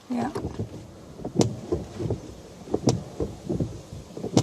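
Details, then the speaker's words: 2009 Renault Grand Scenic III: wipers thump and chatter at each sweep end about every 1.5 seconds, despite nearly new blades; windscreen wiper judder. "now it's quite good today it's not too noisy today i think when the when the wind screen is a bit dirtier you kind of clean the windscreen listen to that now"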